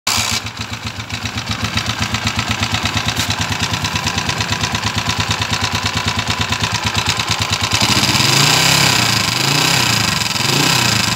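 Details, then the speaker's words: TMX155 motorcycle single idling with a harsh tinny rattle, like a can shaking inside; cracked-sounding engine noise fixed by replacing the timing/cam gear. "aan narinig niyo po yung andar niya parang lato may lato siya sa loob tapos Basag yung tunog ah parang lata yung andar"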